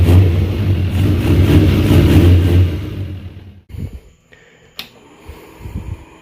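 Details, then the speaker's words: 2001 Suzuki Katana 600 after the fuel delivery fix, with carbs filled and the open vacuum line capped: smooth, even revving with no stumble or misfire before shutdown. All four cylinders are now firing. "Oh, I can tell the difference. 100% running on all 4. Not even a question. 100% running on all 4 cylinders."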